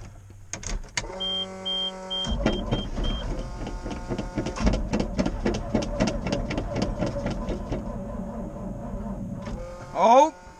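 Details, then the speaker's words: 1988 GMC 6000, battery dead, cranking on a booster pack after charging it a little over a minute. A few warning chimes, then steady cranking for about seven seconds that never catches. Owner fears flooding it. "I hope this booster doesn't die I hope it'll freakin start to hope I didn't flood it either"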